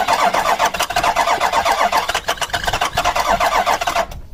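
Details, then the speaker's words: Ford Super Duty 6.0 Power Stroke diesel V8 with a no-start, cranked after a small splash of starting fluid. The starter chugs evenly at about four beats a second for four seconds with no fire; it cranks but won't start. "Nope, I don't think it's enough."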